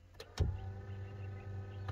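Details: Mercedes CLK320 electric steering column: reach function gives click then even low motor hum for about 1.5 seconds with clean stop, working normally; the tilt motor's damaged rubber flex coupling is the separate fault.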